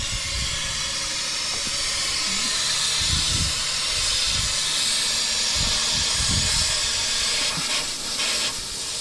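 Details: Truck AC with a newly installed compressor: loud, steady high hiss of unchanging pitch as refrigerant pours from the bottom of a blown AC hose, not the compressor.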